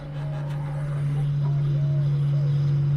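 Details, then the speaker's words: VW Scirocco race car after wiring a master on/off switch: steady low electric hum builds and holds over a few seconds as the fuel pump switches on and primes normally; fan also heard. "can hear the fuel pump kicking on there's the fan shut this off"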